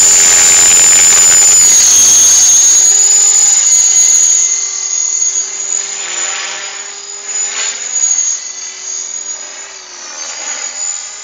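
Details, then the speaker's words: Align T-Rex 500 3G helicopter flying 3D at the park: high steady whine over the rotor buzz, holding pitch through the flight; onlookers suspect a lost gear, not confirmed. "Yeah, you've lost the gear, you can hear it."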